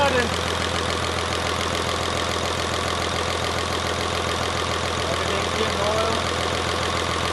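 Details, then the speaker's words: Rebuilt 5.9 Cummins diesel in Megacab, first start: steady even idle about three and a half beats a second; earlier thud gone after adjusting loose rocker arms, mostly exhaust, starter also replaced. "all right as you guys saw uh she's now running way better just had some rocker arms that were too loose or yeah all exhaust a lot of exhaust ones were loose so we're all good there there's no more thud"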